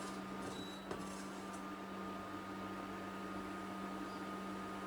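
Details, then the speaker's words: Mellerware induction cooktop switched on: steady low electric hum with a thin high whine from the cooling fan, which keeps running for a while after switch-off. Normal noise, livable unless you're sensitive to it. "So yeah, that's the noise that it makes. It's not a terrible noise. It's something that you can live with, unless you are very sensitive to noise, then it will annoy yo"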